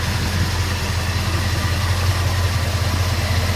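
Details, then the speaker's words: Engine in the owner's XD at idle: steady and even with no knocks, ticks or misses. The owner finds nothing wrong despite two rear cylinders testing low on compression about 5 years ago, and plans valve stem seals and new hoses. Normal idle. "But I'm not taking that engine out unless there's something wrong with it. And there just isn't."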